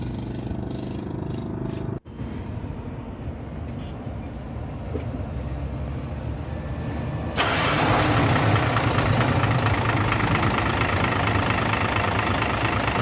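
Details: Hino 500 FM truck six-cylinder diesel after fixing oil leak at the dipstick and topping up oil: quiet lead-in, fires at about seven seconds, settles into steady even idle; healthy, no blow-by.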